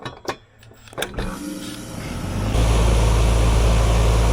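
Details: HVAC unit with newly replaced compressor, switched on after charging 4 lb (64 oz) refrigerant through the liquid side: a few clicks, then spins up to a steady low hum and fan rush, no rattle or labor; normal startup.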